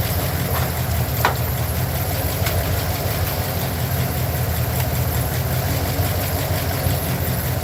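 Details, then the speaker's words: Truck V8 at idle, checked with an inductive timing light on the plug wires: deep idle with an uneven chuffing beat; cylinder misfire suspected, not confirmed. "I am going to put my inductive timing light to it and see which ones are misfiring so hear this engine Roar"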